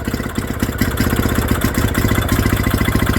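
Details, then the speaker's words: Villiers WX11 single-cylinder two-stroke after carburettor work, running on a guessed two-stroke mix with load applied by hand: even putter at about three and a half beats a second, governor picking up and holding speed; running healthy. "Oh, listen at her with a load, look. The governor pick up and everything. Oh yeah, put a load on that. Much nicer, look."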